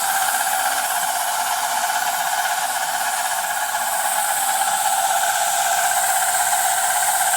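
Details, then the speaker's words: Milling Dickson tool holder blanks after slowing the spindle RPM; even, hissing cut with steady pitch and no chatter or squeal; clean normal cut. "You can see, well, as you can hear, it sounds a lot better now. I've slowed the RPM"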